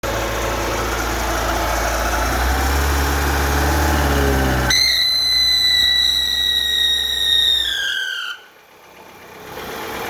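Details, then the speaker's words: Fiat Uno with Fire petrol engine: a sharp high whine when revving that slides down as revs fall. It persists after replacing the timing belt, tensioner and faulty water pump, and with the alternator belt and belt covers removed. "Estou aqui com esse Uno motor Fire e ele dá esse barulho quando a gente acelera ele."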